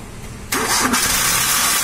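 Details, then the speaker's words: Maruti Suzuki Wagon R K-series engine: starter turns over slowly and laboriously, engine never fires; battery voltage drops from 12 V to 7 V while cranking, weak battery causing slow-crank no-start. "देखो आप ऐसे कर रहा है, इसका voltage का problem है battery का।"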